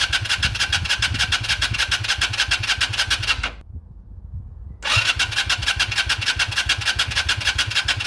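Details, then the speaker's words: 2001 Yamaha XVS125 Drag Star, not started in 3 years, fresh battery fitted, oil checked: two bursts of quick, even starter cranking that never catches; cranks but won't start. "ठीक है जैसा कि आप देख सकते हैं कि कसाई भागना नहीं चाहता है इसलिए हां, थोड़ी जांच की जरूरत है"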